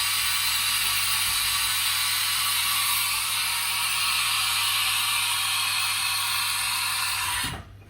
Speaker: So, tool change looks nice and smooth. We'll try again, full speed.